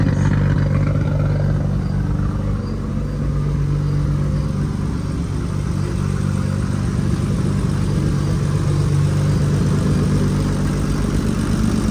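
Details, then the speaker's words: R32 GTR after a sensor was reconnected and ECU rebooted, warming up before dyno tune: steady even low idle rumble, no knocks or misses; sounds super good. "got running sounds good I'm just letting it warm up then I'll check the level of the oil and see where it's at but it sounds super good"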